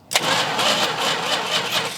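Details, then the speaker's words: 1971 Plymouth Road Runner, 383 engine, off the road since 1989: steady rhythmic cranking, engine spins evenly but never catches. Crank, no start; no spark at the points, which are to be cleaned. "so I'm going to spin it over I'm going to just go ahead and assume that the points don't have any spark"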